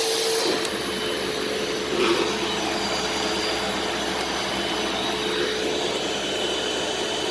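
Steady, even hissing roar of the motor with no surging or rattles; the vacuum runs smoothly and sounds healthy.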